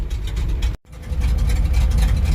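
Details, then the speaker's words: International truck petrol engine idling cold in winter, warming toward temperature, misfiring with irregular pops and dropped beats; owner wonders about carbon-core versus solid-core plug wires. "you can clearly hear it popping and miss and we're starting to come up on temperature now"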